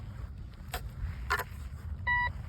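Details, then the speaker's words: Budget metal detector with 11-inch double-D coil, sensitivity turned low, turn-on-and-go test: faint hiss and handling noise, then a short clear mid-pitched beep with no obvious target, frequent unexplained false signals reading in the 90s; cause unknown. "All right, so one issue I'm having right now is there's a lot of unnecessary beeping going on."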